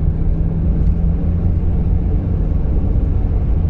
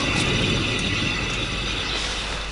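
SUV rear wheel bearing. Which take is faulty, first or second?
second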